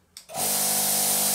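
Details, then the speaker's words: Built-in air compressor inside a 2-in-1 plasma cutter, running on internal air without cutting: click then steady airy even hum, no knocking or rattle; owner notes the double piston compressor is quite quiet. "look at that double winded piston that's that's that's pretty cool and that's quite quiet too you actually should listen to it guys listen to how quiet it"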